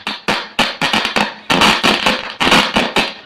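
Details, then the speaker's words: 6283 IC amplifier (800 model) with two speakers connected: harsh, crackling, badly clipped, fuzzy bursts with every sound. With the rest checked OK, the IC is suspected; the plan is to swap in a new IC or else replace the board. "Sound फटाफट आ रहा है। यानी कि IC का problem बोल सकते हो, IC का ही प्रॉब्लम होगा।"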